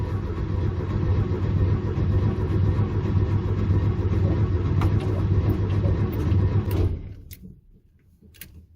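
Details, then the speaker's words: 1971 VW Beetle air-cooled flat-four, first start after sitting three years, with new carb, fuel rods and fuel filter: runs steadily and evenly for about seven seconds, then cuts off; healthy normal running. "hopefully he's filling up okay okay [Music] it's definitely running i'm not dying so"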